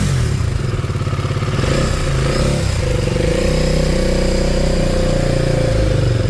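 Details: KTM Duke 250 single-cylinder at idle before engine work: fast, uneven ticking clatter over the idle thump from heavily worn tappet shims and a loose timing chain; bike also smokes; valve, piston and tappet suspected.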